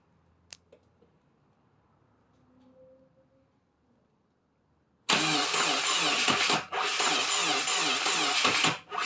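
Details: 2017 Subaru WRX: long labored cranking, then runs with a heavy steady metallic knock from severe rod knock.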